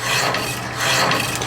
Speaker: Yeah, it actually cuts pretty fast.